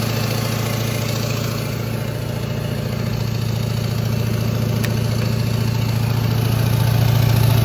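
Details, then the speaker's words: 2001–2004 Duramax LB7 diesel truck with hood stack, homemade high idle kit via cruise control set between 1200 and 1800 rpm, no throttle: steady loud diesel drone, even pulse about 3.5 per second, no knocks; normal high idle. "it's not quiet, but this sounds pretty cool."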